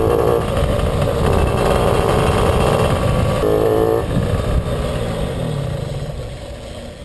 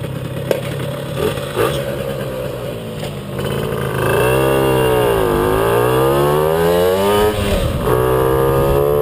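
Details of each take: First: Puch Maxi 2 HP two-stroke under way stutters and drops out unevenly, a couple of beats a second, and bucks when pulling away; ignition misfire traced to a loose contact in the NGK plug cap with a broken pin, not the carburettor. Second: Puch Maxi moped "Jägermeister", two-stroke, on a second test ride after fixing an ignition misfire. It rises smoothly and drops off clean, with no stuttering or coughing. Repaired and running normally.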